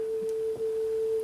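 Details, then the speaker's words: 42-year-old Sony TC131SD cassette deck after head cleaning, playing a tone tape. A steady test tone sits slightly sharp, so the deck runs a little fast; azimuth is suspected out of adjustment, with a broken paint seal on the screw. "how do we look for a little bit on the sharp side"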